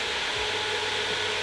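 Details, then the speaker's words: Rhino 8-inch EC inline ventilation fan on a table, plugged in at full speed without a dimmer: steady airy rush with soft hum underneath, even and unchanging; running normally. "I can feel the fan kick in. Takes a while for an EC fan to run to full speed."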